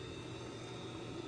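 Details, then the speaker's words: Boiler heating call, water at about 80°F, space heating target 170°F, just before ignition: smooth, even whirr with faint steady high tone, no rattle or surging as the inducer blower runs; normal inducer fan operation. "Just waiting for it to kick on and space heating because the water is 80 so degrees. Hear that inducer, that blower running now."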